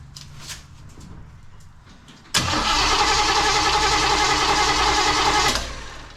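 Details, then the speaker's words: 1935 Oldsmobile sat for many years, rewired, first start attempt, fuel pump working and fuel squirted in: starter spins engine evenly about three seconds, never catches or pops; no spark, distributor later found unplugged. "okay let me get my other fuel bottle okay just a little little squirt see nothing we're not even getting a little bit of a pop"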